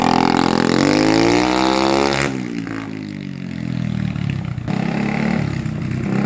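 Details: 1980 Honda XL250S after the fix of fresh fuel, which had previously stopped it revving above 2000 rpm: it accelerates cleanly with pitch climbing smoothly into an even beat and no misses.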